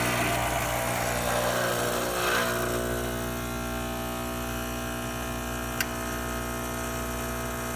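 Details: Pasquini espresso machine after repair of an internal grouphead water leak, pulling a test shot: steady, even buzzing pump hum with fine rapid pulse, no sputter or surging, no leaks; normal pump operation.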